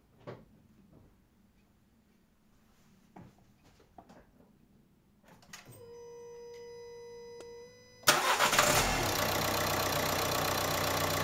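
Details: Dacia Duster dCi diesel just after oil change with new RN17 oil; after clicks and a warning chime it cranks, fires promptly and holds a steady even clatter at idle – normal idle.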